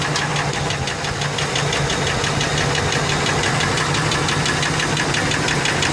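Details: Ford F150 4.6 2-valve V8 running: fairly regular light knock about three per second over the drone; ruled out lash adjusters, owner suspects rod bearings, though it seems to come from the clutch, possibly a broken spring; unconfirmed.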